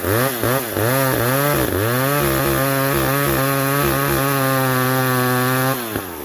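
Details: Old McCulloch 710 chainsaw with its carburettor deliberately set out of adjustment after being well tuned. The revs surge and sag unevenly for a couple of seconds, then hold a high, flat scream: carburettor out of adjustment.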